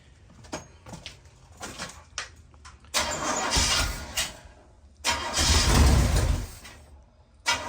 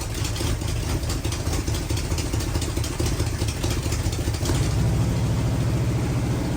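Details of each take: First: Rat rod bus engine, first start, timing set by ear: repeated cranking with uneven sputters that never catch to a steady run; cranks but won't start, choke found to be the issue. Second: Rat bus V8, first start, gas poured in, choke wired half shut, no coolant, throttle set high, timing not yet set: loud, deep, lumpy V8 rumble running steadily; choke was the issue; normal running.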